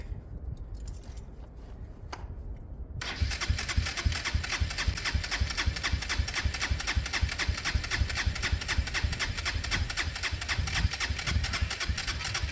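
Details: Motorcycle converted from fuel injection to a Hanway carburettor, computer systems disconnected, spark timing uncertain, choke needed: steady rhythmic cranking about four pulses a second that never catches into a run; cranks but won't fire, cause unconfirmed.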